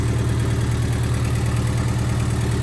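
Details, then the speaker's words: Honda EF hatchback with D16Z6 swap and new cheap open exhaust, warming up at idle: fast, even tapping heard up front on the exhaust note, not valvetrain; owner suspects an exhaust leak at a bolt needing tightening. "See, it's weird because back here it sounds pretty good, but then up here is where it sounds all tappity, but it doesn't sound like it's valve train."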